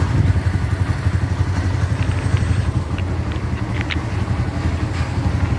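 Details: Nearly new Barako 2 motorcycle with only 132 on it that had been stalling on the road; run while waiting for the carburetor fuel to run out to see if it stalls again. Steady low thumping exhaust beat with no dips or stumbles; runs normally without stalling.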